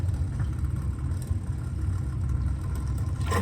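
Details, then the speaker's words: Well pump running after its burned-out motor was replaced with a new 3/4 HP pump, low-water cutoff lever held up, pressure at 6.5 and rising: low uneven rumbling flutter of water chattering through the line, normal flow as the pump starts. "so it's running and i can hear the water chattering here so hopefully we come up to pressure here in a second"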